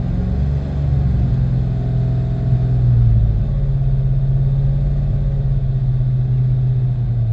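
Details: 1993 Mustang GT 5.0 V8 after new plugs, injectors, wires, fuel filter and pump; idle sags and swells unevenly with occasional stumble, rough at idle and light throttle; owner wonders about IAC, TPS or EGR.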